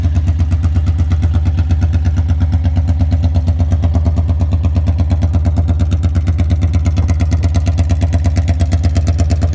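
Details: 1982 Honda Magna V45 VF750C V4, warmed up after an oil change, with no muffler fitted: a raw, loud, even exhaust beat at a steady idle, running smoothly but far too loud.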